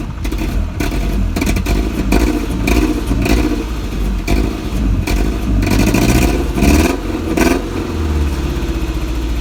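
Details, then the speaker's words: Toyota MR2 with a Honda K-series swap (K24 in title, K20 spoken), RSX header and stock MR2 exhaust; cold start after sitting, with the returned Ktuned throttle body; uneven surging revs and clattery pulses that seem worse than before; rough running, cause unconfirmed. "yeah it doesn't sound right I'm gonna turn it off something sounds weird seems like it got worse that's not good"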